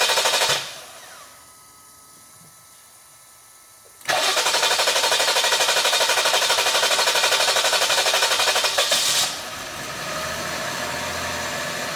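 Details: 2020 Jeep Grand Cherokee 3.6 brought in after another shop's heavy engine rebuild (heads off), code P0339: starter grinds steadily for about five seconds before the engine finally catches; extended crank.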